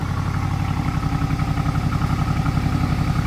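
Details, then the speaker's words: BMW 650i V8 idling rough just after start-up at 4 a.m., uneven stumbling misfire pulse, right after new spark plugs and coils were fitted; owner first thought fixed, then misfire sound returned. "My neighbors and my mom might be pissed. Sounds weird, bro. It already doesn't sound that good."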